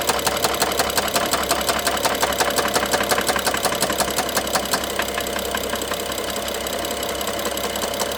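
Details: BMW F07 with N55 engine idling with a sharp, regular top-end tick, nearly three a second, fading partway. Stethoscope finds it loudest near the cylinder 1 injector and mid-engine connector. It worsens with throttle and sometimes stops briefly; timing chain inspected and looked OK.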